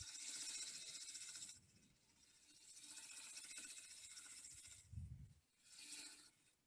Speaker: Now you can hear the ticking because I've got a crack in here.